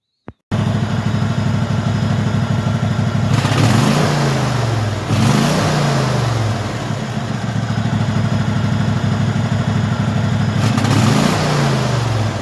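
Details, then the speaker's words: Craftsman hydrostatic mower V-twin running after carburetor cleaning and replacing the carburetor's bottom fuel solenoid; steady, even putter holding speed with brief throttle dips, no misses or knocks, running normally. "I changed out that little solenoid thing on the bottom of the carburetor and obviously something was wrong with it because it's running now"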